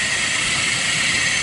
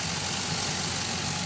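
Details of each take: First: Engine running in very cold weather with a cracked serpentine belt: constant high hiss with a thin steady whine, first suspected from the alternator or power steering, traced to the idler pulley by the air conditioner; idler pulley bearing noise. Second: 2005 Chevy Envoy, about 178,000–179,000 miles, idling after the serpentine belt and pulleys were replaced over an earlier pulley noise: smooth, even idle with a light steady hiss, no squeal, chirp or rattle; sounds a lot better.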